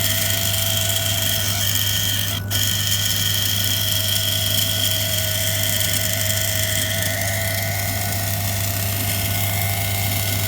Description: Fixing my problem with 5y old Beko (DPU 8360 X) tumble dryer making loud weird screechy noise more and more often. The issue was in the (almost) jammed water pump.